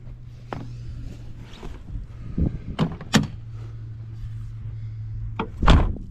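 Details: Normal door closing on a 1992 Chevy Blazer with 260,000 km, revived after sitting 12 years: a few solid thunks as the door shuts firmly and cleanly over a low steady hum; door pins apparently still good.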